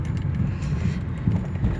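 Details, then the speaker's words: Honda Fit on a rough, potholed road after replacing front control arms, bushings, shocks, stabilizer links and bump stops: steady low road rumble with soft thuds and no clunks or knocks from the front suspension. "ficou bem silencioso mesmo bem justinho aqui a direção bem gostoso carro macio"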